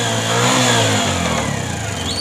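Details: Bajaj CT 100 with 17,000 km, started and revved: the engine rises and falls with a rough metallic knock riding on the exhaust note, pointing to a loose balancer weight.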